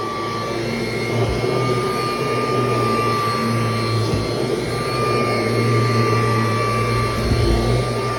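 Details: Kirby Heritage II vacuum, unused for a while and stiff, vacuuming a mattress with belt engaged: loud steady motor drone with hard high whine and rough undertone, never heard before; owner suspects bearings, cause unconfirmed.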